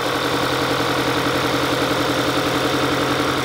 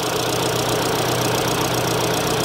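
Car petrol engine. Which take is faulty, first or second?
first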